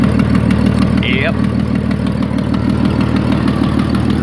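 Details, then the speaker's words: Ford ED Falcon turbo build before the new manifold/dump pipe: sharp quick ticking at about three a second over a steady idle, from a bad exhaust manifold leak on cylinder 6; it gets a bit quieter once warm. "I know in the other videos it's not super obvious that there's an exhaust Lake it does actually get a bit quieter after it's warm but it's leaking quite badly it's only from Cylinder 6"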